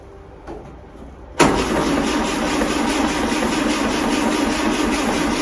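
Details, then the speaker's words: 1939 Austin 12 after gapping spark plugs: steady starter churning about three and a half turns a second, no firing; cranks but won't start, cause not confirmed. "Well, that didn't work."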